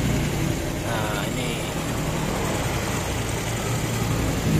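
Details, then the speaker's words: Old Honda Supra X small engine after a rebuild: oversize piston, new cam chain, new oil pump gear and fresh oil. The earlier complaint was a very rough noise; it now holds a steady, smooth idle with no knocking. "suaranya Udah paling halus guys jadi kemarin tuh motor Supra Bapa ini guys e keluhannya itu suaranya kasar Kasar banget dah"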